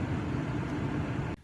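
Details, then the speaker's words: 2007–2013 GM Acadia/Traverse/Enclave/Outlook, front blower motor under the passenger footwell, no airflow complaint: tapping the motor makes a steady airy fan whoosh start then cut out, showing the motor is frozen up and needs replacing. "one quick way to check to see if maybe it is the blower motor maybe it's frozen up what you can do is just tap on the blower motor a little bit and if you hear it come on like it just did that's a good sign that the blower motors just frozen up"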